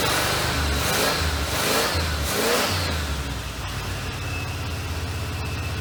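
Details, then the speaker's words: Monte Carlo V8 running with water in the radiator: revs and settles to a slightly uneven idle; coolant drips from the muffler, one cylinder pumping water; blown head gasket suspected. "Well, other than the blown head gasket, it seems to run good."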